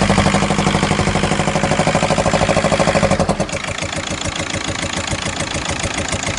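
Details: VW Golf 5 at idle: loud rapid even knock about three per second for first seconds then drops back, same hot or cold, goes away after 2-3 minutes; cause unknown; engine knocking at idle.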